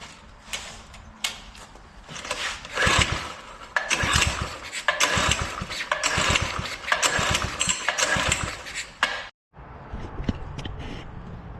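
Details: Doodle Bug with a spark issue: repeated recoil pulls give rough, scraping cranking bursts but it never catches and runs on its own; cranking no-start.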